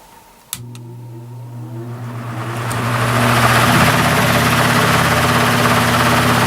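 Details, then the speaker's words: Repaired spare Marco motor from a Lasko/Galaxy box fan on high speed, drawing 1.92 A against a 2.2 A rating, 153 W: thump at switch-on, then a steady low hum as airflow builds and levels off; runs normally. "So there it is, running on high, and we're pulling 1.92 amps. These are rated at 2.2 amps, so it's within its specification, and 153 watts power factor."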